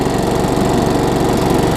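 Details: Craftsman self-propelled mower with a Tecumseh engine, after tightening the loose, backwards blade. A fast, even single-cylinder beat at steady speed without stumbles or rattles; it runs cleanly.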